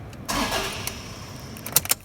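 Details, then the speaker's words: Toyota Hilux diesel with the key held at start: the starter spins the engine in a brief whirring burst but it never catches. The engine cranks but won't start. "so when it makes that sound that is engine cranks but won't start okay so the engine's cranking"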